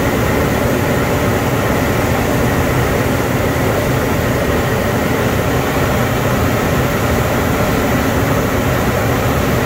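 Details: 2007 Ford Explorer after refitting a new mechanical clutch fan in place of an electric fan; steady idle with smooth fan rush, no clutch-fan rattle or roar, idle settles after a minute; fan later seen hitting a hose; normal idle.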